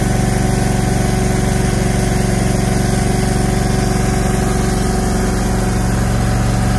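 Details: Brand-new Briggs & Stratton PP20 20kW natural-gas whole-house standby generator, first start (fourth attempt), heard about 10 feet away: low even drone with steady firing, no knocks or rattles; quiet, healthy running at low speed.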